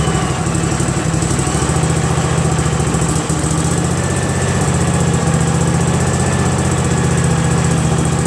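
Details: Craftsman GT6000 garden tractor repowered with a Briggs & Stratton Vanguard 16HP horizontal-shaft engine, first start after install: a deep, steady rumble at constant speed with no misses, knocks or surging. The engine runs healthy.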